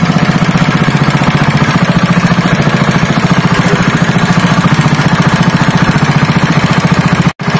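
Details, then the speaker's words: Honda GX160 5.5 hp single-cylinder engine, previously pulling as if it had no compression, runs after a valve clearance adjustment (IN 0.15 mm, EX 0.20 mm): a loud, steady beat of about 3.5 pulses a second, even and unbroken, running healthy. "वह परिणाम नहीं है, दोस्तों, इंजन वापस सामान्य हो गया है"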